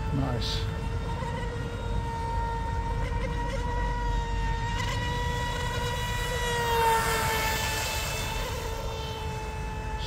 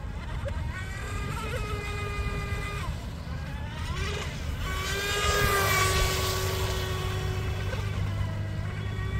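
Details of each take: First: DIY RC Mini Mono boat, 3S fresh LiPo, detuned CNC aluminium 436 three-blade prop, running fast and stable through its own wake: steady high whine with clean overtones, smooth and unstrained; normal high-speed run. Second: DIY RC Mini Mono boat on 3S with 436 three-blade TFL prop: after a fast run the motor cut out mid-pond, a thin steady beeping tone sounded, then the whine returned; owner suspects overheating or a power cut, unconfirmed.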